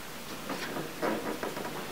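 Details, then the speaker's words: Flat-screen TV with the standby light on that won't turn on: irregular bursts of quick ticking chirps, apparently from the power-supply transformer, as the supply keeps trying to start and tripping; owner suspects failed capacitors. "honestly it just reminds me of a thing that's trying to start feeling to do it like there's a start capacitor"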